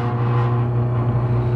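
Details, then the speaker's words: Hobart MG2032 commercial meat grinder-mixer running through a three-phase converter in mix mode, paddles turning, with new parts fitted at each end of the worm: a steady low even hum with no knocks or scraping. Normal smooth running. "three-phase converter, which you're going to hear humming in a minute. We're going to turn it on and show you how smoothly it runs, and show you down inside the holes, and you can see the paddles turning for the mixer and the gear turning for the grinder."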